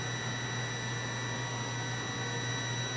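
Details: Continuity tester on a relay switching an inverter via a Victron Smart Battery Protect (220 A), with a bulb loading a weak battery and voltage already low. A steady, unbroken tone shows the relay contacts are closed, before the 90-second shutoff.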